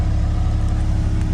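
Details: Convertible at a salvage auction whose trunk would not open. Its small four-cylinder runs great, with a smooth, even engine note held steady and no knocks, misses or rattles: normal engine rev.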